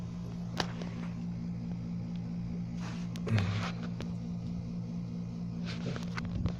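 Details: Magic Chef Performa washer, draining at the start of the wash: a steady low hum with a dry, rough edge; the drain pump bearing got wet from a worn-seal leak.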